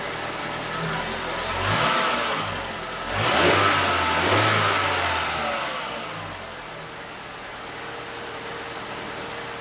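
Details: Late-90s Ford Escort 1.6 16V fuel-injected petrol, long parked, cold start; a few throttle blips then a smooth, even idle with no knocks, misses or rattles, runs nicely.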